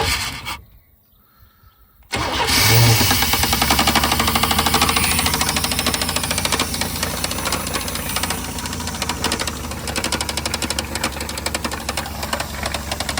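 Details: 1991 Chevy S10 with 4.3 L engine, farm truck: engine fires after a short silence and runs with a loud, rhythmic knocking about three hits a second; cause unconfirmed.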